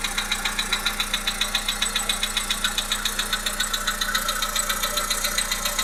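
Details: Volkswagen Polo Sedan 1.6 CFNA engine at idle: steady, sharp metallic knock about two and a half times per second over the idle; engine knock, cause not yet pinned down.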